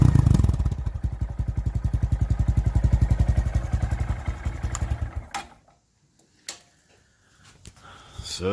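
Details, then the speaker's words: 2019 Honda Monkey 125 single with Takegawa OEM-style performance exhaust on the stock painted cover, cold start: fires up into a quick, even thump with a deep exhaust note, a little deeper than stock, then shuts off; runs clean, normal. "So if we want to hear this thing, this is a cold start, so I'll just fire it up real quick. See if we can. So a little deeper than normal."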